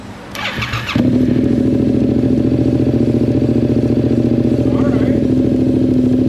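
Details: 2022 Yamaha MT-07 twin, first startup after installing aftermarket exhaust, silencer still in and one clamp not yet tightened: starter whirs, then loud steady lumpy idle; runs clean, the new exhaust made the bike loud.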